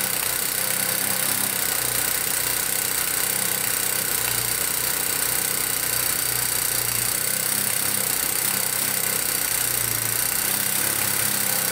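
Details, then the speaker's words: 2001 Kawasaki Bayou 220 ATV after valve clearance adjustment (intake 0.006–0.008 in, exhaust 0.007–0.009 in): harsh, clattery rough running with top-end rattle and an uneven beat, still noisy; loose cam chain suspected, but the chain was found tight. "huh doesn't really sound that much better so maybe the cam chain is loose as well"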